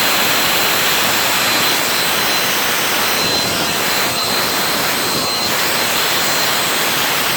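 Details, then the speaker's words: Turbo barrel on a cage buggy, packed very tight with wood for pyrolysis gas: steady hissing jet-like roar with an uneven, strained edge; the owner suspects too little air gets through and it is struggling. "I packed it really fucking tight. I might not have enough air through it. Sounds like it's struggling."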